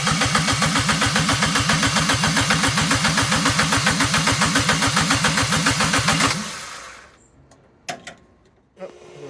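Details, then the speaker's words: Ford Puma 1.7 engine in a twin-engine Fiesta pickup, first start attempt on a low battery: even cranking at about four compression beats a second for six seconds that never fires; fuel pump ground was disconnected, so no fuel. "yeah I mean that will make sense right no ground no fuel pump so hopefully once that is a bit charged it'd be okay"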